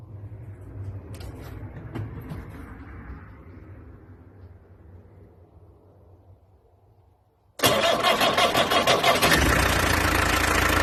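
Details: Peugeot 404 LDV pickup, second pickup for comparison: quiet start, diesel catches at once and settles to an even, steady idle clatter; normal diesel idle.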